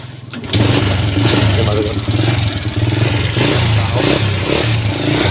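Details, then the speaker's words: Honda Wave S single-cylinder with worn engine and smoky exhaust: catches and settles into fast, light ticking from the cylinder head when revved. "วันนี้ข้าพเจ้าได้รถเวฟเสกับอาการเครื่องหลวมมีอาการควันออกท่อเนาะทุกคนเนาะติดเบิ่งกันทุกคนอาการของมันคือจะมีเสียงดังแก๊กๆพร้อมนะทุกคน"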